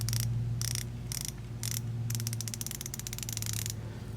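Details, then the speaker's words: New Icon 1/4-inch drive flex-head ratchet being bench-tested: crisp, even bursts of rapid fine clicks as the handle swings back and forth, a smooth, healthy pawl, judged a decent, legit ratchet and compared by feel and sound with a Koken. "pay attention to this one you can hear and feel the difference but again I don't want that to detract away from this being a bargain buy for the icon because I do personally think it's a pretty legit ratchet after playing with it"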